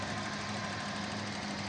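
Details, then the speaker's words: 2003 Kijang LGX 1.8 EFI, manual: smooth, steady, even idle with no knocks, misses or anomalous noise, and the engine mounts are smooth with no vibration; normal idle. "Suara mesinnya halus, tidak ada bunyi anomali. Semuanya masih bekerja dengan normal. Engine mounting juga masih halus, tidak ada getarannya."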